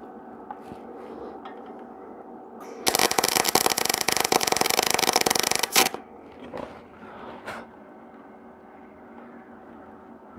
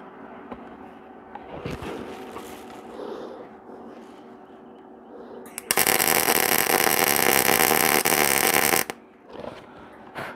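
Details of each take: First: Welding a repair on a sawmill log-turning arm stop: loud harsh crackling sizzle for about three seconds, then stops; arc running a little too hot, welder current needs backing down. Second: Welding repair of a broken stop on a sawmill log-turning arm, after turning the heat down: steady, even frying crackle for about three seconds without harsh popping or sputter; arc set right, weld holds.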